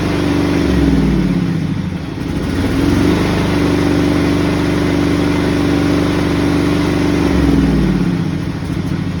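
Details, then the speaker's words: John Deere lawn tractor V-twin, before carburetor replacement: runs steadily, then speed sags and surges unevenly before dying when the choke is turned off. Suspected dirty or broken carburetor, dirty or broken manifold, or broken gaskets. "so this John Deere runs then dies when the choke is uh turned off"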